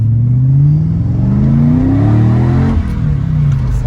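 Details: Mercedes CLK 55 AMG at full throttle in drive after fixing limp mode and poor throttle response with a $175 part replacement; the suspected cause was a throttle or accelerator position sensor. Revs sweep up smoothly with no hesitation and no error lights.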